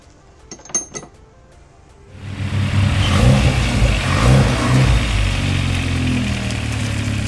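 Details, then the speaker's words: Hyundai Veloster Turbo, about 320 hp at 28 psi boost, just fitted with a catted Pierce Motorsports downpipe replacing a catless one: starts, then deep loud exhaust roar swells with revs; louder than catless, owner suspects the cat blew out, unconfirmed. "car is a little bit louder than the catless. I don't know if we blew out the cat on this thing."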